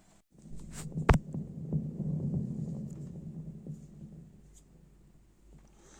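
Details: Thunder THC-SUB101 active subwoofer that works fine, then after 10–30 minutes starts to crackle and pop as if a wire were shorting; low throbbing hum with a sharp pop, persisting after replacing four op-amps on the filter board: popping and hum.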